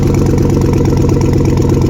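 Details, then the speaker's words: A 2013 Chevrolet Tahoe PPV Federal Pursuit V8 idles with a loud puffing, chuffing rumble on every firing pulse; exhaust leak at the collector or a broken manifold, not the first manifold checked. "it's rumbling so goddamn loud? That's a surefire sign of an exhaust leak."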